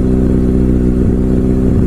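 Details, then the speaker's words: Mitsubishi Lancer CK4 with a faulty air flow sensor (MAF): engine dies when throttle is released, held by foot near 2000 rpm; steady hum dips briefly now and then, unstable engine speed. "ว้าวววปรากฎว่าถ้าปล่อยแก๊สดูเหมือนเครื่องยนต์จะดับอีกค้างเลยหรือจะพยายามเก็บไว้ที่ประมาณ2000RPMก็ลองใช้ดูครับช้าๆครับ"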